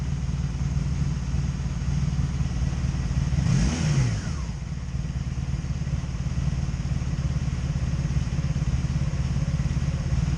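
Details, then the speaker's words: 2002 Honda Magna VF750C V4 ticking over roughly, lumpy irregular exhaust beat around a brief throttle blip: misfire on all four cylinders (earlier mostly bottom ones), unchanged after new ignition coils, also backfiring; owner suspects the CDI box. "huh that's weird yeah you're gonna hear a misfiring though oh all right well that pretty much continues it continues to disappoint"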